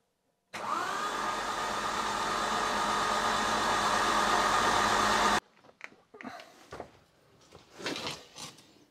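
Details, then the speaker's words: Citroën XM 3.0 24V barn find, first crank in 20 years after oiling the cylinders: steady whirring crank about five seconds, even rhythm, no catch; engine not seized and starter works, a leak still needs fixing. "yeah oh well the engine is not stuck the starter motor is working but I need to fix this leak to be able to get the car out of here when I get it started"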